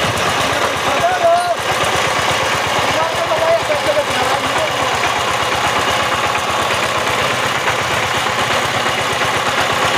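A small diesel thumps along at a steady, even rapid beat with no grinding or whine from the gearbox, running smoothly.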